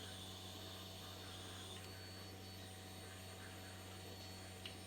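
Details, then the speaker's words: Acura RSX with new return-style fuel system and Aeroflow fittings, before first startup: fuel pump run continuously to set regulator, pressure rising from about 15 to 45 psi; quiet, steady, even electric hum without surging; normal priming. "I just did it with, you know, running the pump continuously just to see where the regulator was to get it in the ballpark."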